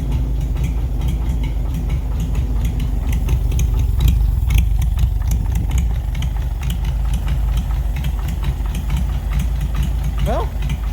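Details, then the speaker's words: 1940s Oliver 70 tractor running after about 12 years, misfire still present, oil pressure okay; loose tapping knock about twice a second over lumpy idle, owner suspects valves adjusted poorly, earlier called it a possible slight rod knock. "honestly that knocking sound it sounds like it's coming from up top maybe when I adjusted these valves I probably should have adjusted them"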